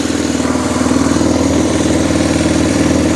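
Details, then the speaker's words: Arctic Cat 400 4x4 quad just fitted with a new carburetor, fresh gas and charged battery, first start: quick steady single-cylinder idle, about four pulses a second; owner thinks it idles a little high before turning the idle screw down. "And the idle doesn't actually sound that bad on it. If nothing, it's probably idling a little high, actually, I think."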